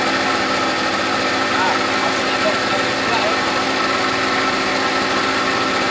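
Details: Gilera DNA 125 two-stroke idling evenly and buzzily without stumbling or hunting, after a new fuel line and filter; heavy two-stroke oil premix in the petrol; engine had sat a while. Normal two-stroke idle.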